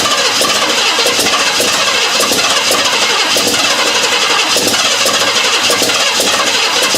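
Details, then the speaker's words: 1956 Ford Thunderbird unmoved for 18 years, with fresh gas and an electric fuel pump: fast cranking with occasional uneven catches but it never runs; the carburetor is leaking fuel and needs a rebuild. "okay not very impressive but that's where we're at so far it's trying goddamn you can hear it trying it is trying so hard but it just"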